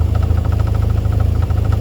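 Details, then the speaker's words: Ford Fiesta ST150 idling with a newly fitted Toyosport non-res sports cat exhaust: rapid, steady knock at firing rhythm from the exhaust clamp striking the brace underneath, which can be felt in the cabin. "So I'm hoping you could hear that, but yeah, that knocking noise is that clamp knocking on the brace underneath, and you can feel it."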